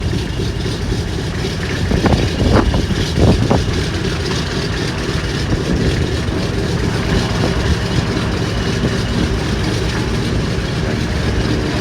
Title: Misfire During Engine Start. DC-3. Pratt & Whitney 1,200hp Engine. Lovely Sound of Flying History!